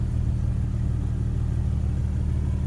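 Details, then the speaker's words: Infiniti G37S coupe at warm idle after installing a Top Speed Pro-1 dual exhaust: steady, deep, even monotone drone, deeper than stock, no knocks or misses; healthy smooth idle. "And even right now it's at a warm idle. You can slightly hear the difference in the deep monotone as opposed to the stock exhaust."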